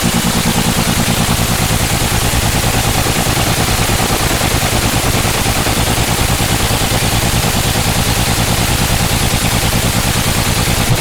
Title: BS6 MISFIRE ENGINE #automobile